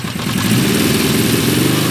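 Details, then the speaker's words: 1975 Honda CB550 four after 10–20 years parked, fuel leaking from lines: uneven, lumpy revving that won't pull up under more throttle because one cylinder is dead; running on three, carbs likely need air-fuel adjustment. "see when you give it a rev it doesn't quite want to push up because it's missing a cylinder"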